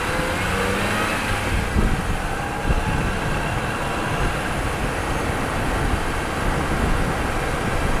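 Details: Test drive with a microphone installed after fixing brake noise at the wheel: steady road and engine rumble with no squeal, scrape or grinding from the brakes, so the pads run quiet after the repair. Quiet brakes.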